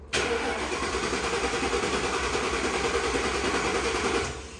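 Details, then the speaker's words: 1960 Ford F100 panel truck with Crown Vic engine swap, wiring being redone, dash lights on, fuel pump heard: starter churns unevenly about four seconds, never fires; crank-no-start, owner suspects keyless-entry security system. "I bet it's something to do with the security, because I think that's what that is. This had keyless entry, and I bet that's it. Yeah, she ain't getting no fire."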